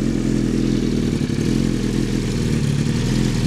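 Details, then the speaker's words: 2007 Suzuki GSX-R1000 with 3,236 miles, a Level One Racing full exhaust and a 4-into-1 header: starts right up into a smooth, steady four-cylinder idle with a throaty burble and no knocks, ticks or misses. Runs cleanly; recorded with low-quality audio. "Alright, I'm going to go ahead and start the bike for you. Starts right up."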